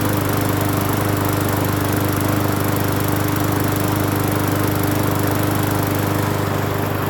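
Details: Free Hyper Tough 20-inch push mower on first start after cleaning the carburetor and gas tank, with fresh gas and off-brand Seafoam treatment added. Steady, even single-cylinder drone with no misses, surging or knocks, not shaking. Normal running.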